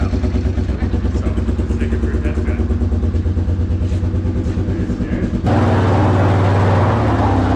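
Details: Yamaha Big Bear 350 ATV single-cylinder after tune-up, throttle repair and recoil respooling: thumps along at a steady, even idle, then picks up cleanly when the throttle opens; running normally.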